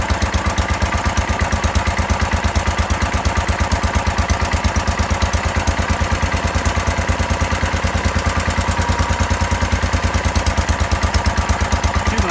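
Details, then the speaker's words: 1970 John Deere 140 garden tractor that wouldn't start from lack of fuel flow, fired after pressurizing the gas tank: slow, even single-cylinder thumping, about 250–500 rpm estimated, steady with no misses; normal idle. "Gave it a little bit of pressure, and it fired right up. Idling it like, I don't know, 250 RPM, 500 RPM, something like that."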